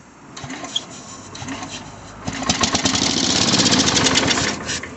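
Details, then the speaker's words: Sears Suburban 12 hp Craftsman tractor with a new battery and confirmed spark, started on a squirt of carb cleaner: it cranks, catches in a rough burst and dies. Hard starting; the carburetor is suspected. "Well, it's trying. Give it a little more throttle. Give her another squirt. I'm probably going to have to do the carburetor on this thing."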